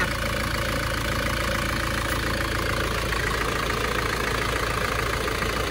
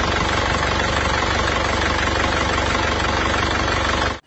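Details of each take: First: Isuzu Panther diesel (Euro 2) after a repeat engine rebuild, driven up to full operating temperature. A smooth, even idle clatter with no misses or knocking, and it stays smooth when revved. Smoke is cured: a normal, healthy idle. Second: Isuzu Panther diesel on arrival, its engine rebuilt about a year earlier but still blowing by and burning oil. A rough, loud idle with a heavy breathy clatter and chuffing: blow-by.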